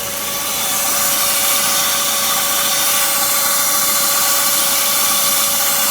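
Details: BMW Z3 1.9 after engine start, cold or warm: a steady high squeal at one pitch over a hissy engine sound; the cause is unknown, and it persisted after changing the air-conditioning and fan belt tensioners and the brake pads and rotors.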